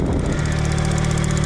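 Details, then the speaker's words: Suzuki Cappuccino kei roadster at idle, which also has a suspected exhaust leak: light, fast, even ticking keeping pace with engine speed; owner suspects lifter tick or normal injector noise, unconfirmed. "it has some lifter tick but I'm not sure I know a lot about Miatas but I don't know if that's the normal sound or if that's just a fuel injectors and that's how it normally sounds"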